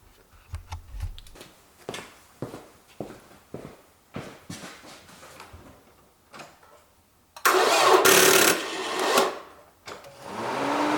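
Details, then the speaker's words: Toyota Camry cranking, watched at the drive belt by the alternator: slow, even cranking beats about three a second before the engine catches and roars up; slow cranking, a possible bad battery. "And now when I start this my car's engine, we can see that if this movement is weak, that it moves like slowly, then we can think that our car's battery is bad."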